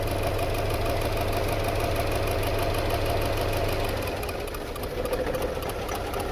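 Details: 2008 Subaru Legacy petrol engine idling roughly with an uneven, lumpy beat and heavy shaking from a cylinder 2 misfire (code P0302), check engine light on; coil pulses and ECU checked.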